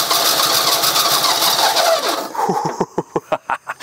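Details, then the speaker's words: 1975 GMC Sierra Grande with 250 ci straight-six, long abandoned, after two plug wires were swapped: a brief rough sputter dies, then the starter cranks in steady pulses, about three a second, never catching; cranks but won't start, firing order later verified correct. "we are so close what to do what would you guys do what's this sound like to y'all something's just not right"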